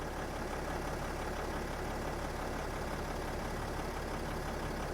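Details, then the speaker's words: 2008 Freightliner Sprinter 3.0 L diesel, after replacing defective crank sensor (code P0335, crank no start): steady, even diesel rumble with no misses, knocks or surging; smooth healthy idle, crank sensor giving square wave. "so the problem was the problem was a defective crank sensor as you guys can hear the engine is running and we have a square wave here"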